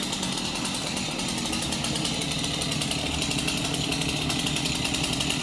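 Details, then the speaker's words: Stihl MS 251 chainsaw that had bees inside, with a new pull cord and now running. Steady high two-stroke buzz at even speed with no misses or surging; runs cleanly. "I'm going to call the customer and ask what he wants to do to it now that it runs."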